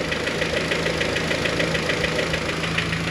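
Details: Honda H22-type head at cold idle, after the LMAs were replaced and timing belt slack removed: a light, regular tick just under two per second over a steady idle. The cold-idle valvetrain ticking is still present.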